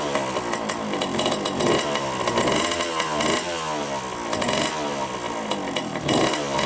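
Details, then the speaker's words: 1987 Honda CR80 two-stroke dirt bike, carb cleaned, choked first start: revs surge and sag about every second, never settling to idle; white smoke and milky oil, owner suspects coolant in oil and an air-fuel mixture screw needing adjustment. "right it starts up I noticed right away it doesn't idle and it's puffed now some pretty white smoke so I'm guessing that's the oil mixing with the coolant"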